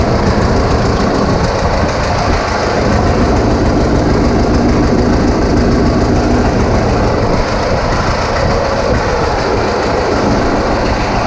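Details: 1936 Caterpillar RD7 crawler, first start since its seized, water-contaminated starting engine was rebuilt from parts units: old diesel chugs with a steady, even beat, no misses or knocks; normal running.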